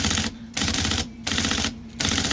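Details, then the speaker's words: IBM Selectric 1 typewriter with new hub and stiff sticky keyboard, just after flushing fluid into the mechanism: bursts of rapid clattering keystrokes, keys still binding but starting to free up. "I'm going to run this a little bit and work it in a little bit and see if I can get some of these freed up a little more, because it was really stiff. Some of these are really stiff."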